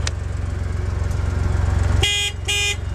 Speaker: the horn works well